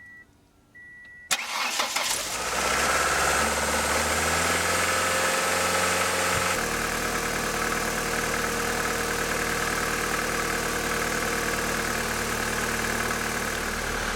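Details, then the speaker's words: 1999 Ford Escort right after idle air control valve replacement (owner had an idle problem): starter cranks briefly, engine catches a little rough, owner thinks the new valve was finding its position, then settles into smooth steady idle; running okay, normal idle. "So yeah, it seems like it's running okay."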